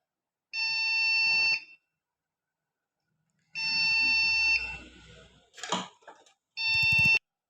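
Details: Computer motherboard during hot testing, powered from SMPS with RAM and CPU fitted, no display: long loud high beeps about a second each, repeating with pauses at power-on; failing startup check, cause suspected, not confirmed.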